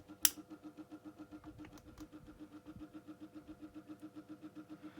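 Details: Micromark fan on lowest speed after motor servicing; a soft humming pulse about six times a second persists despite the attempted fix; rhythmic motor noise, cause unknown.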